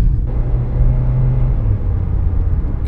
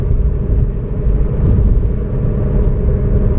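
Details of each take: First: 2003-2013 Toyota Corolla driven at 34-35 mph, then 45-50, after replacing the wheel bearing: only low, even road rumble with no hum rising with speed; noise gone, wheel bearing now quiet. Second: 2003-2013 Toyota Corolla driven at about 35-40 mph: steady low drone and hum over road rumble, growing louder with speed and when turning left, from the driver side front; bad wheel bearing, felt rough when spun by hand.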